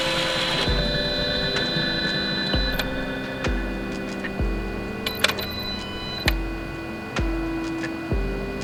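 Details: Golf R that died on the freeway with a stuck-open, leaking injector, with the spark plugs just refitted. Slow, steady cranking at about one beat a second, never firing; cranks but won't start, and no spark is suspected, possibly a blown fuse.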